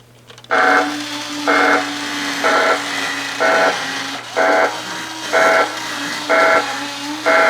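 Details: Original obsolete R.A.D. toy robot powered on a temporary taped battery pack, startup system check: steady motor hum with bright tone bursts about once a second, evenly spaced; normal startup self-check.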